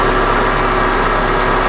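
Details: 2003 Honda Accord 2.4, warm after running a while: short steady, even idle with a low hum and no roughness or squeal. Normal running.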